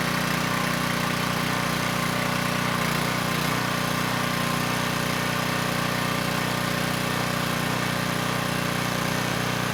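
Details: Coleman Powermate Pulse 1850 generator, 1996 engine, after carburettor repair, unloaded in driveway: even, steady drone, no misses or surging, a touch slow; normal running, possible slight needle seep.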